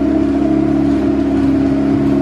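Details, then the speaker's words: EF Honda Civic hatch with built turbo B16, cold engine: steady elevated idle hum without hunting, held high by the fast idle valve opened fully; idle drops after about 10 minutes once coolant warms it. "fast idle valve, this car has a fast idle valve, and it's opened up all the way. We'll try to get that idle to tame down once I get it on the hoist."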